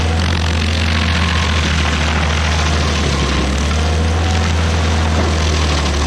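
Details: Stump grinder's first grind after a motor rebuild, on a willow stump: loud, steady drone holds speed under cutting load with a constant hum and no surging or sputter; engine pulls well. Oil on the heat shield cover burnt off.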